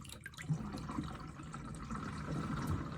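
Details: Motorhome sink after replacing the basin plug, which held water 20 minutes without a drip: water gurgles and trickles steadily away with no hiss or drip afterwards. It drains normally.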